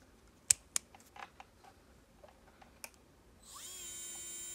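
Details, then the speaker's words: Kupa KP-50/55/60 / Medicool 20 nail drill handpiece after bearing replacement (previously hot and loud): a few clicks, then smooth, steady high whine with no grinding or rattle; runs quieter and softer, bearings healthy. "mình có thể cảm nhận được là cái máy nó chạy êm hơn và mềm hơn, ok."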